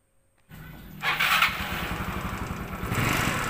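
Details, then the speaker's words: Yamaha Mio Sporty scooter: harsh, uneven clattering idle; suspected history of running out of oil, possibly loose clutch or another internal problem. Cause suspected, not confirmed. "Oke seperti yang kita dengarkan tadi bahwa suaranya sebegitu kasarnya kita mendengarkan secara awal ini sekilas kayak ada riwayat kehabisan oli"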